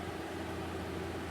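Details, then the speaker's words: New inverter air conditioner running after startup. Smooth, steady rush of air with a soft low hum, no ticks or scrapes: normal running. "so far so good i'm impressed with the way this thing starts and runs so far we'll see if this new inverter technology works"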